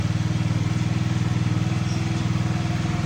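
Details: Revx 125 (Fekon) motorcycle, warming up after a check-up for stalling on throttle: even steady single-cylinder idle, about four pulses a second, no misses, knocks or hunting; normal idle.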